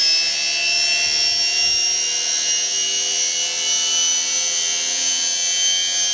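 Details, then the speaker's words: Uncovered motor, covers stripped off, set to match the lathe's 1170 rpm: steady high-pitched whine holding one pitch with faint overtones and almost no low rumble; about as noisy as the other motor. "It's actually just about as noisy as the other one, whine-wise, but I'll stick the cover over it and see what it's like with the cover over it."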